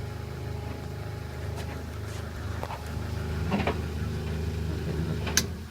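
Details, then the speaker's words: White Knight 447WV 6kg vented tumble dryer (Polar White) on its reverse tumble test: a low, even drum rumble with occasional soft thuds of tumbling clothes; a healthy dryer running quietly, normal operation. "Yeah. Testing it out. Yeah, testing it, see how it works. It's nice and quiet."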